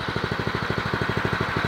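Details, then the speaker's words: O'Mac MC700 motocultivator (tiller), new, first start, throttle at minimum after brief warm-up: quick, even single-cylinder putter about eleven firing pulses a second, quiet, no misses or rattles; healthy normal idle. "Ăsta este relantiul merge frumos silențios frumos"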